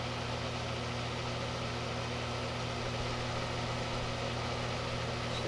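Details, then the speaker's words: Delonghi dehumidifier sealed fan motor: constant low hum under a rough, airy rasp that never changes; noisy fan motor, suspected dry bearings. "uh-oh that's not good sounds like dry bearings"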